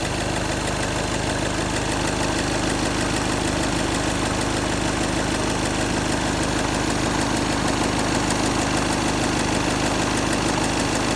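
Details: Skoda Octavia A7 2.0 TDI diesel at idle: steady, fairly regular knock around three per second; source unknown.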